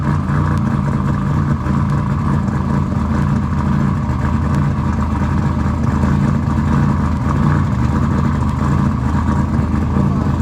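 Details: Engine just started after installing RJC V-Band exhaust gaskets: loud, deep, steady exhaust note with no puffing or ticking at the joints; exhaust sealed, engine running clean and normal.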